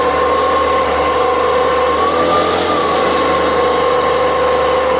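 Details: Stihl BG86 two-stroke blower with a loose exhaust, started from flooded; a 10-cent diaphragm suspected, plus another problem making it rev when leaned on. Steady high revs, pitch lifting once; condition unclear.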